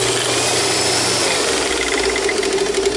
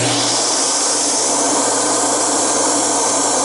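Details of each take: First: Sharp Twin Energy upright vacuum switched on before servicing: harsh, rough roar with a strained hum and thin high whine on top; abnormal running noise, parts no longer available. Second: Sharp Twin Energy upright vacuum, twin-fan suction motor running: strong, steady high-pitched roar, no surging or rattles; normal suction motor run with plenty of power.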